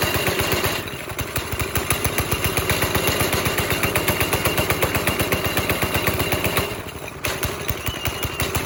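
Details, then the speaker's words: Go-kart with a 5.5 hp Briggs & Stratton engine, foot to the floor: steady single-cylinder thumping about four beats a second that never climbs. Stuck at idle because the throttle cable came loose and its hanger came out. "Like, my foot's on the floor, and we're not getting, like, full reaction here."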